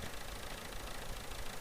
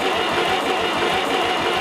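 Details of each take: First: 70-year-old International 275 diesel tractor, worn, about 40 hours a year, after refurbished injectors; revved then idling with steady low clean chug, no knocks or misses, normal tick-over. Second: 70-year-old International 275 diesel tractor after injector work, near full throttle with heater coil; even starter churn of about three compressions a second that never catches, compression judged fine, air in the fuel system preventing start.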